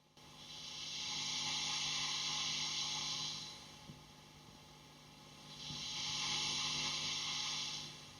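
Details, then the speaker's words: 100 W valve guitar amp with master volume and channel volume on 10, mid full, treble swept up and back: only a soft hiss that swells and fades, no hum or crackle; a very quiet noise floor for a 100 W amp. "Yeah, that's that entire channel on 10. And the noise floor is very quiet for a 100 watt amp. This is very good."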